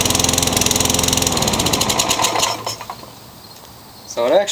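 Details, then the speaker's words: Craftsman lawn mower found in the trash: it buzzes fast and steady for two seconds, then slows and dies. Carburetor suspected; a new carburetor was fitted and fixed it. Engine surging and stalling. "so it starts and dies this is your classic carburetor issue"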